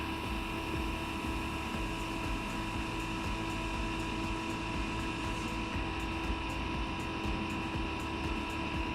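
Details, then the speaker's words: Eberspacher Airtronic D2 heater, earlier connected to wrong voltage, on test: steady fan whine with faint dosing-pump ticking about twice a second, but burner does not light; fan and fuel pump run, no start. "should we wait for the unit to start well we can hear the fan spinning up but why is on the pump working"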